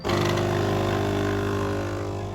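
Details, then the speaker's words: Philips LatteGo 3200 coffee machine in service mode: pressing the coffee button tests the water pump, which gives a steady loud buzzing hum with an even low drone, easing slightly at the end. The vibration pump is operating normally. "Evet kahve bastığımız zaman da su pompasını test ediyor arkadaşlar"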